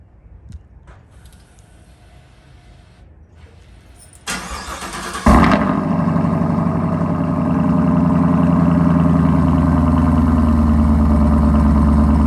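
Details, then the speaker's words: Camaro SS V8, first start-up after installing an MBRP axle-back quad-tip exhaust: about a second of cranking, then a loud bark settling into a deep, steady, even idle; sounds healthy. "Alright, y'all. First start up since putting the MBRP on. Let's see what happens."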